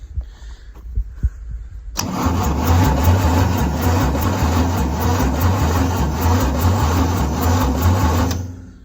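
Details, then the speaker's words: 1975 White 2-150 tractor diesel, asleep 19 years, first start attempts with fuel reaching injectors but injector lines not yet tightened: steady slow starter churn about four beats a second, no firing; cranks without starting. "so look truthfully it could even fire up if we get a bit of crank and speed into that and lock those injector lines up it might nearly go"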